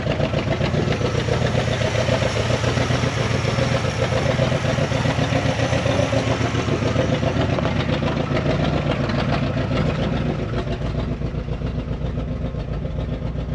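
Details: 1974 Dodge W100 Power Wagon V8, parked since 1983, running with a very leaky pinched-off exhaust: low, even burble at idle, steady at about four pulses a second with a puffy exhaust note; engine sounds healthy with no knocks or ticks.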